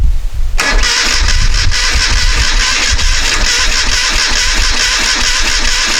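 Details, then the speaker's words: 1973 Moto Guzzi V-twin, first start attempt after decades off the road, carburetors cleaned and tickled: starter spins with even compression pulses but never fires; spark confirmed with tester, fuel suspected as cause, not confirmed. "it has spark we can verify that by turning the switch off we don't so i guess we suspect fuel we don't have fuel"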